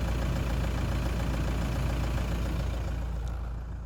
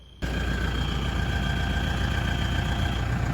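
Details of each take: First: Toyota Land Cruiser Prado 120 with 1KD-FTV 3.0 L diesel: steady, even idle with a low, smooth beat. The post-cold-start whistle is gone after the leaking exhaust gasket was replaced and its bolts torqued to 43 Nm. Normal idle. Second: Toyota Land Cruiser Prado 120, 3.0 L 1KD-FTV diesel, after cold start: steady high whistle over the idle from a slight exhaust leak at the failed middle exhaust gasket, though it seems to come from the last one.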